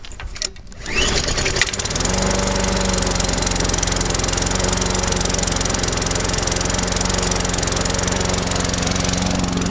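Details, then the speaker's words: Murray push mower, started about once a month and left 30 days since the last run, in cold weather: it won't start unless primed, then it catches after a short crank and settles into a steady, even putter. Owner blames the fuel, not confirmed. "So I crank it up about once a month, and it will not crank up. And I'm gonna say it's because of the fuel, nothing else. It will crank up primed."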